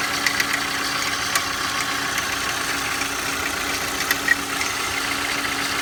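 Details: Engine at cold start idle: faint steady hum under a hissy top end with irregular sharp ticks; owner asks for help identifying an abnormal noise present when cold, source unknown.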